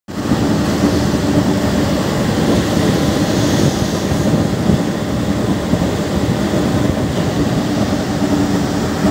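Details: Cooling tower fan motor with a failed bearing: steady, rough mechanical rumble over a low hum, an abnormal sound from the bearing that has gone.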